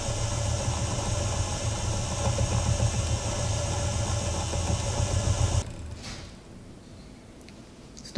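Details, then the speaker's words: Plyology electric spinning wheel prototype, volume test while spinning: soft, steady low hum with a faint even tone that holds constant, then cuts out; quieter than a regular talking voice, a normal quiet motor. "i hope you'll be able to hear that it has a little hum but it's very easy this is just a regular talking voice and you can hear the hum but it's definitely not dominating"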